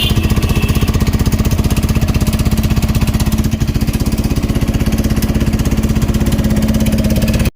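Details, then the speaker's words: Bajaj Pulsar NS160 single-cylinder bike, rebored only about 400 km ago, idling: heavy harsh knock about four thumps a second like a broken engine, heavy smoke, won't rev. "అంతలోపల మళ్ళీ దానికి sound అయితే create అయ్యింది. Engine పగిలిపోతే ఏ విధంగా ఉంటుందో ఆ విధంగా అయితే sound వస్తుంది."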